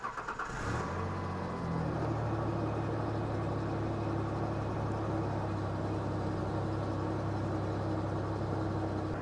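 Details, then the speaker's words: Ford Ranger with junkyard engine, idle was around 1,600 rpm, restarted after fitting missing PCV valve: cranks, catches and settles into steady, noticeably fast idle that never drops to a normal slow beat; high idle. "she was around 1,600 let's see what she does now"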